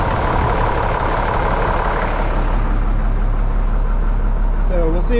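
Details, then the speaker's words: 1998 International 4700 DT466E diesel, just running again after the missing high-pressure oil pump ferry plug check ball was fixed: deep, steady idle rumble with an even beat, no misfire or stumbling, some background noise near the end; running smooth; normal idle. "and it's it's running smooth right now I've started it twice"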